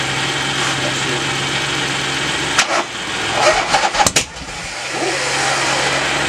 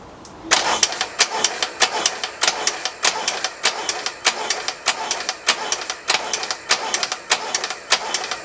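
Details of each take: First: Norley cafe racer motorcycle, started for the first time after its one-off hydraulic clutch was repaired: the engine catches and settles into a steady run with a few brief throttle blips and some clatter; normal start and run. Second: Harley Ironhead engine in a cafe racer project, cranking after a hydraulic clutch repair, retried with choke off; even starter chatter at about a hundred strokes a minute with no firing. Fuel present, and the owner suspects spark plugs. Cranks but will not start.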